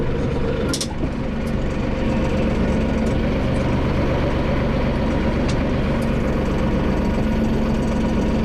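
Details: Massey Ferguson 4610 with Sisu diesel, rebuilt after an EGR cooler leak put antifreeze through the rod bearings (new bearings fitted). Runs steady at high revs, smooth even drone with no knocks or rattles; sounds healthy.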